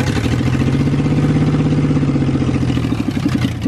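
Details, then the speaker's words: Mustang drift car on the stock tune with no O2 sensors or EGR, after a spark plug's porcelain broke. A lumpy, stumbling idle shows a misfire on one cylinder, so it isn't firing on all cylinders. "that thing sounds like a kubota if it had the cylinders all firing it would sound great"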